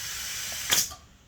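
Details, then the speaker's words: Kids' bike 18-inch inner tube with a hole, inflated to find the leak: a steady, thin hiss of escaping air runs about a second, then stops. Inner tube air leak, to be fixed by replacing the tube. "i don't know if you can hear it through the camera but you can clearly hear the air leak inside the tire here"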